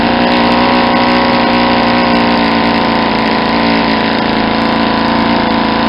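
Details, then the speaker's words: Saito 50 four-stroke RC engine on first run after rebuild (new piston ring, bearings, timing and valve lash set), APC 11x7 prop, Omega 10% fuel; needle set really rich for run-in: soft, blubbery, uneven burble about four beats a second with heavy smoke; over-rich mixture. "I'm gonna set the vision really really rich first thank you way to see how much smoke is Tori sauce is coming out because I got it's a really rich and you'll hear kind of blubbery"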